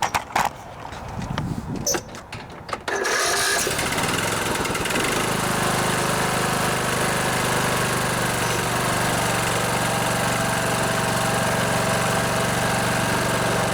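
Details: Poulan Pro riding mower with a Briggs & Stratton Intech 19.5 hp engine that cranked without firing, after freeing the stuck carburetor fuel (anti-backfire) solenoid; a few seconds of cranking and clatter, then it catches and runs steadily with no misfire; normal running.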